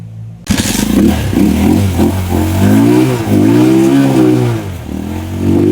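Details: Rusi Macho 175 single-cylinder after clearing water from tank and carburetor: blips up and down cleanly, revs rising and falling smoothly with no misfire or stumble; running properly.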